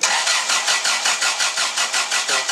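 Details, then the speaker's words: Dodge Daytona IROC after an engine swap: steady starter cranking at about four pulses a second that never fires, because the Hall effect crank pickup sensor was left unplugged, so there is no spark. "try it already you might want to hook up the hall effect pickup sensors always something"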